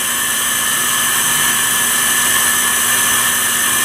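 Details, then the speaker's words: Campbell 750 (FR242615S) 24" CNC fixed-rail vertical universal grinder, spindle commanded via M4 in MDI and ramped from about 2,700 to 3,000 then 3,500 rpm: smooth steady high whine over a low constant hum, no roughness or knocking; normal spindle run. "That's 3,000. Sounds pretty good. 3,500. That works."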